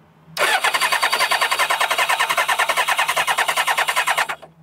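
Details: Kawasaki ZZR600 that refuses to start, during a spark test with the plug grounded to the frame: fast even starter churn with no firing. It cranks but won't start; no spark or flooded plugs is suspected.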